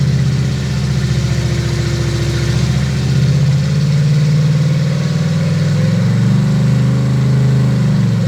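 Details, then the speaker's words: Freshly built 350 Chevy V8, first fire-up, rev limit 5, idle set to 800 rpm, ethanol-free fuel: steady even low rumble at idle with a brief light rev, no knocks or ticks; motor sounds fine, normal idle. "probably sounds good. Yeah, I think motor itself sounds fine."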